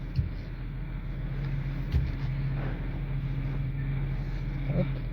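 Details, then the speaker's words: Engine running after a power steering fluid flush: a steady low groan from the pump at full lock, caused by air bubbles in the fresh fluid. Turning the wheel lock to lock bleeds the air out. "ça va servir à purger en fait vous avez chassé toutes les bulles d'air qui sont dans l'huile"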